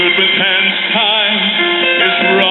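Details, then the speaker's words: Silvertone model 5 tube radio after IF transformer capacitor repairs, with a smaller speaker temporarily hacked in until the original is reconed or a 5" round PM replacement is found: music clear and steady, slightly thin, no buzz or distortion; sounds much better. "But I don't like doing things this way, so as soon as I can either have this one reconed or find a suitable size replacement, this will be fixed correctly, but radio sounds much better."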